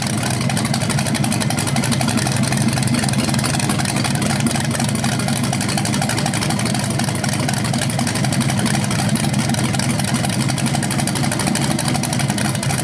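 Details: BluePrint 396 crate engine for a 1970 Camaro SS, first run on a stand after oil priming and timing check: deep even rumble idling and blipping, no knocks or misses; normal, owner unsure if flywheel or headers sound different when revved.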